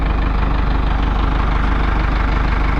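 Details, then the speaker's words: Diesel engine started after its battery was recharged to 63 percent; battery was just a little low. Steady, even low rumble, regular beat, no misses; normal idle. "all right we got it started funny it cranked right over this time yes the battery was just a little low"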